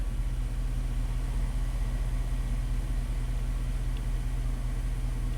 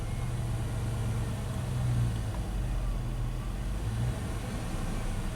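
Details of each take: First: 2002 Dodge Dakota 4.7 L V8 after no-parts fix for erratic idle and rough shifts, minimum TPS relearned: low steady burble, IAC counts dropping as idle settles near 600 rpm, no stumble or hunting; smooth healthy idle. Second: 2002 Dodge Dakota 4.7 L V8, no throttle applied: idle hunts, swelling and sagging on its own with RPM all over against a 600 rpm target; erratic idle from a faulty throttle position sensor ground, also causing hard shifts while coasting and surging at light throttle.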